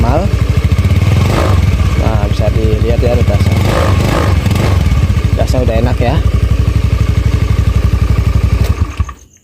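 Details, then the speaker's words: Honda Beat FI scooter after spark plug change and used replacement TPS (idle had been unstable, rising and falling): steady even single-cylinder thump for about nine seconds, then off; normal idle. "Oke Bang odeng oke sekarang langsamnya sudah normal ya"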